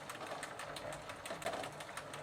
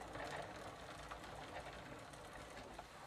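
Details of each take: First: 1990 Gazelle bicycle with a Sturmey Archer three-speed hub, cleaned, regreased and treated with WD40, in third gear: quiet rapid pawl ticking coming and going as the wheel turns, pedalling a little heavier. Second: 1990 Gazelle bicycle with a Sturmey Archer three-speed hub after WD40 treatment, all three gears now working: light even pawl ticking in first gear, lighter pedalling, no grinding or slipping; normal operation.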